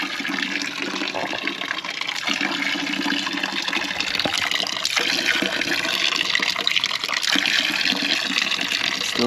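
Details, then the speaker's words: Dempster pump with trouble keeping its prime: continuous hissing, gurgling rush of water and air, no solid pumping stroke; pump is drawing air and lost prime, takes about a minute and a half to stop, cause not confirmed. "So, see, we're we're stuck in air right now. Yeah. So, it take about a minute and a half for it to to stop."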